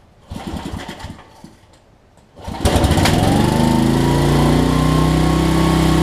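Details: Homelite LR4400 generator after carburetor and kill switch replacement, choked and pull-started: a few pulls, then it catches and settles into a steady, even buzz with no surging or hunting; runs really well, though the kill switch is still not grounding it out.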